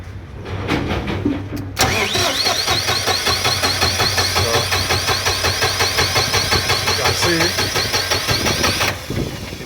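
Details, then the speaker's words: Diesel generator with battery, oil and fuel levels checked OK: starter churns steadily at about three compression beats a second for several seconds, but the engine never catches; cranks without starting, cause unknown. "cranking. I couldn't start."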